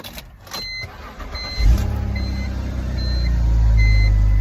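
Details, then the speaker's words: BMW Z4 after a dead battery: short crank, then catches cleanly into steady, even idle, no warning lights; a whistling, suspected belt, appears shortly after. "There we go, and it is running. And there are no lights on still."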